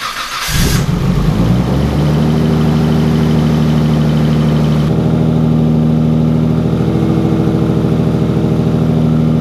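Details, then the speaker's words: Nissan Skyline R33 engine after replacing incorrectly sized connecting rod bearings (machine shop error; mains 0.25 were fine), primed then started: short crank into a steady, even idle; the earlier bottom-end noise is gone. "i'm super pumped there's no noise now and it all went away which is awesome it should have right because incorrect bearings were in there"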